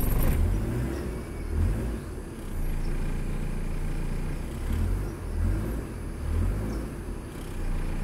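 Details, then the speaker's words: Proton Wira (4G15/4G13) after tightening the loose air-conditioning compressor belt, retested with the engine fully cold: engine rumbles and revs cleanly in gentle blips with no chirping from the belt; normal running. "Hai Oke saya dates and setelah beberapa Mini tak di sebarang bunyi tikus-tikus end show safnida"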